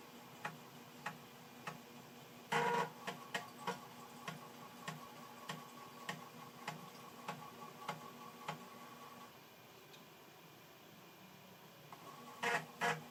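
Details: Amiga 600 after about ten years in storage reading a copied game floppy: crisp, regular clicking about twice a second over a faint hum as the head steps steadily; floppy drive working normally.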